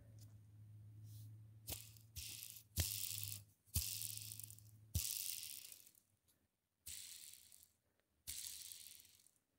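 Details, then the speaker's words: Rainbow PN-2 brushroll, about 6-7 years old with a couple hundred hours, hand-spun: short rough ratcheting rattles each spin, both end bearings dry of grease, one stiff. "Yeah. So the bearings, both of them, have no grease. Actually, this one's running a little weird. Yeah, it's it's stiff."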